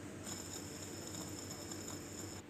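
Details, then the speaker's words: Car AC compressor pulley spun by hand with no load, compressor removed: thin, high, steady whine with a rough edge for about two seconds, worn pulley bearing that should be replaced soon or it will damage the magnetic clutch coil. "Hai jadi Andaikata orang mengalami masalah bearing pulih kompresor Los bearing perlu diganti secepat yang mungkin jika tidak ianya akan merosakkan magnetic kuilnya"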